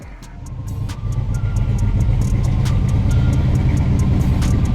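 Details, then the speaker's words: V8 with new coil, distributor, MSD box, heads and cam but long-running misfire: low lumpy idle with recurring stumble under a light tick, dead cylinder from a stuck fuel injector, freed with pry-bar taps. "all right a couple couple quick taps with a pry bar the injector is working again"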